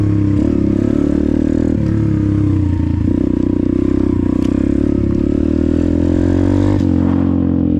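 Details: Apollo RFZ 125 X18 pit bike with a new Nibbi PE22 22 mm carburetor, stock jets and only briefly adjusted. It pulls cleanly through the revs and shifts with no popping, spitting or stumbling; well-tuned.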